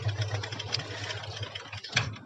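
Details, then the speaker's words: Yamaha Jupiter MX that would not stay running, after clearing the suction hole to restore fuel flow: the single ticks over at an even, steady pace with a low pulsing thump and no stalling, a normal idle. "Ini motor udah normal ya teman-teman, silahkan dengarkan langsamnya."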